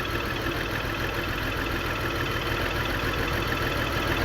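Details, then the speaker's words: 2002 BMW X5 3.0L AWD, new battery and spark plugs, multiple misfire: idle with loose uneven stumble about three times a second; fuel pressure 44 PSI, owner suspects fuel pump, intake runner motor needs replacing; unconfirmed. "Sounds like a fuel pump, baby. Looks like a fuel pump. Looks like a fuel pump, baby."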